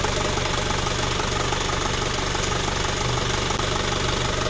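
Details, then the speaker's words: Isuzu Panther Kapsul diesel after overhaul, tested after repair of rough ticking noise: even diesel clatter at steady idle, firm regular beat, no ticking or rattle on top; normal idle. "dari bospom walaupun mesin ginjal ginjal tapi untuk suara ketek-keteknya nggak ada"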